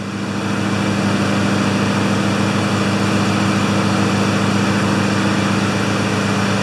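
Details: Two Honda mowers after a tune-up (blades sharpened, oil changed, spark plugs cleaned, new air filters, wheels oiled), started on choke: droning together at a steady buzzing pitch with no surging or misfiring; both healthy.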